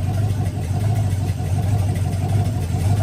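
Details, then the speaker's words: LM7 5.3L LS V8 on first fire-up with 706 heads, Brawler 650 CFM carb and single-plane intake, idling: faint rhythmic popping about ninety a minute from exhaust manifold leaks, with only two bolts holding the manifolds on. "I've only got two two bolts holding the manifolds on so you can hear the popping from the leaks but it runs sounds"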